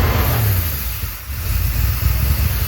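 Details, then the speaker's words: 1972 Dodge W200 Power Wagon, first run in years, oil pressure reaching 20–40 PSI, little smoke: fast steady idle that won't drop back; fast-idle cam stuck on its top step with a rusty screw, later freed. "Too much soak? Yeah, it's not coming down. It's like wide open right now."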